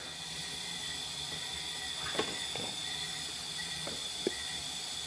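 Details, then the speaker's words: Honda Accord leakdown test on cylinder one; steady airy hiss with a thin whistle and faint clicks, air escaping and felt at the radiator cap, nothing from the exhaust; head gasket judged cracked between cylinders one and two, unconfirmed until the head is removed. "pretty much everything's telling us it's that the head gasket is cracked between cylinders one and two that's what the leak down showing anyway"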